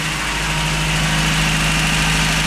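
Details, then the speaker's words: Rebuilt 1989 Toyota Hilux 22RE, first start after rebuild at 299,885 miles (cam had worn), no cooling system fitted, clutch pulled in: steady, even idle with a smooth constant hum, no knocks, ticks or stumbles; sounds healthy. "That's my first time doing a rebuild on an engine. Had it all out by myself. Sounds good."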